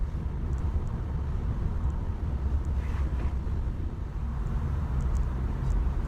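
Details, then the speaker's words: Ford Mondeo driving after replacing four split rear subframe bushes that let the subframe knock against the body: steady road rumble, no knocks or clunks; rear suspension now quiet. "Silence is golden. The knocking has gone. Yeah, we've got a result."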